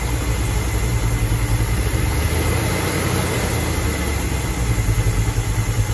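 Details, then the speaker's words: Barn-find 1969 Mustang Mach 1, 302 Ford small block with Erson cam, Holley 600 carb: deep V8 idle with irregular stumbling beat and dropped pulses; a skip, suspected crossed plug wires possibly causing the knock, unconfirmed. "What I was going to tell you, what I'm noticing is that we got a skip. Mm-hmm. Okay. Now, if there's one chance we got two wires crossed somewhere, that could be causing that knock."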